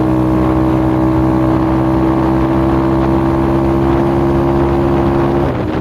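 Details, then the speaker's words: X-Pro dirt bike single-cylinder idle with faintly uneven, stumbling beat before dying; sounds like idle air screw out of spec but is an ignition misfire. "Now at first you would think this is an idle air adjustment screw out of spec, but really it's an ignition issue."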